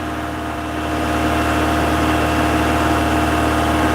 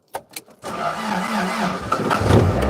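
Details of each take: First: Toyota MR2, 40 years old, just after a cold start on a windy evening: steady, even idle hum sitting a touch fast with no knocks or misses; firing but idling a bit high, with smoke put down to condensation. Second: Toyota MR2 on its 40th birthday, out of gear in the garage, starting after storage: a few short cranking bursts, then it catches and settles, idling a bit high at first.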